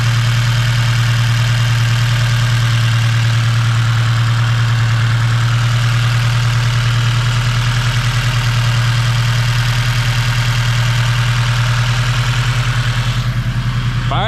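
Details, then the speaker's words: 8th-gen build with freshly built-head engine, first start after priming: steady, even idle with a low smooth pulse, no knocks or misses, AFRs around 13; normal, though check engine light on and valve adjustment needed. "right up y'all sounds normal sounds good sounds right afrs are chilling like 13s"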